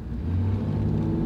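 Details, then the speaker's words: Lifted Toyota military-style truck with almost 200,000 miles, automatic in drive pulling from a stop: deep, steady drone with no clunks, slips or flares; the transmission still shifts extremely smoothly. "it doesn't throw you back in the seat of course but you can see it goes it still shifts extremely smoothly with almost 200 000 miles"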